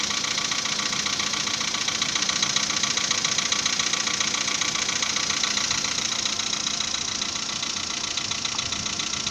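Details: 2015 VW Polo Sedan after piston upgrade, cold start at 10 °C coolant: steady even metallic knocking about two and a half per second at idle over clattery top end; piston slap.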